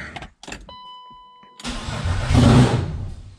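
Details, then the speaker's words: BMW E36 turbo build, first start attempt at near-open throttle: brief click and whir, then the engine catches, surges about a second and a half and dies straight away; starts then stalls, cause unknown. "i just died quick as hell man i don't know what the hell's going on"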